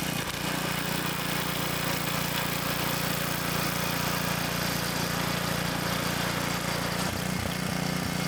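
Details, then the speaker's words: Tiller restarted after slime was added to a leaking tire: the small single-cylinder engine runs at a steady, even fast chug with no misses or surging. Normal running. "hopefully it cranks back up there we"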